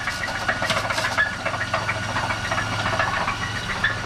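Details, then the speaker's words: A 1999 Chevrolet Camaro, a future LS-swap project, at start-up idle. Rough, irregular knocking at about three to four per second with hiss; the engine knocks badly, cause unknown. "let's start this thing up so you can hear how bad this thing really is [Music] [Music] knocking knocking on heaven's door baby"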